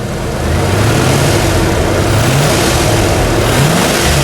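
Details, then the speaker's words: Range Rover Classic LSE soft dash V8 revived after nine years sitting, smoking as it burns off excess, timing not yet set: revs up smoothly to a strong, even roar with no tapping or knocking; healthy. "but it sounds absolutely incredible Chris give her a little rev up for us mate with your place there's no tapping or knocking"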